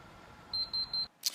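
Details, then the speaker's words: Counterbalance forklift pre-use check: three short high-pitched beeps then a click from the micro switch behind the handbrake, warning that the handbrake was released; the handbrake warning is working as it should. "So what we'll do is we'll just use a micro switch there, make sure it's working to warn us if we've accidentally removed the handbrake when we shouldn't have done."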